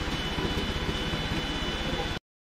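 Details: Bajaj NS200 single after cylinder head rebuild with new valves, guides and seals, carbon removed, valves adjusted, compression raised: quick, even exhaust pulses at steady speed, no stumbling or misfire; normal running.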